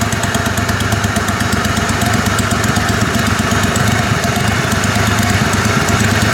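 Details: Kohler Command Pro 27 hp V-twin lawn mower, after head gasket repair, baffle removed and pipe with washer welded to muffler: loud, even, throaty beat at steady speed, no knock or miss; running healthy.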